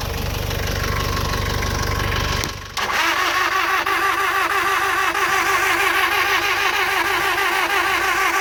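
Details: 2002 Nissan X-Trail 2.0 petrol: the starter spins the engine with an even churning beat, about three turns a second, but it never catches, even though the fuel pump, fuel delivery, coils, spark and battery all check fine; crank no-start.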